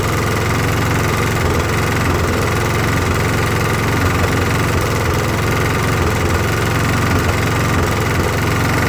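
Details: Briggs & Stratton push mower, about 20–25 years old, after carb clean, new carb gaskets and new head gasket: slow, even chugging with no rise in pitch, still missing and not reaching proper speed; previously lost power and died under use.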